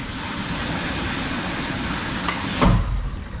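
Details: RPZ backflow assembly with solenoid valve on a demonstration wall: constant rushing hiss of water, then a sharp heavy bang in the line as pressure surges hammer the pipe and the relief valve spits; water hammer.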